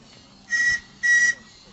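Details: RC steam-powered ocean tug model Resolve with a very small 9 cm³ boiler, at the end of a run: two brief, thin whistle toots cut short as the boiler runs out of pressure; weak whistle from low steam pressure.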